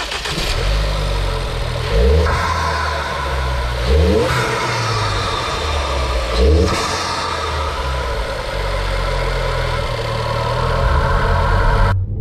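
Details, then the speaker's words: Ford Focus III ST 2.0 EcoBoost 250 hp on a road test after repairing low compression from a damaged piston: revs climb cleanly through the gears with dips at the shifts, no knock or miss; water temperature and oil pressure are normal. "ah le bruit il est sympa quand même donc l'essai routier est très concluante en cuir le la pression température des eaux pression d'huile tout est dans les normes"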